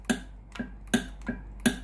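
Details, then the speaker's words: Philips GC9682 steam iron, no steam: solenoid valve clicks about three a second over quiet hum when the steam button is pressed, but no steam comes out; water pump has failed and the boiler gets no water. "นี้ได้ยินเสียงในส่วนของตัวอนอยวาล์วทำงานนะครับแต่ไม่มีไอน้ำออกมาที่หน้าเตาเลยนะ"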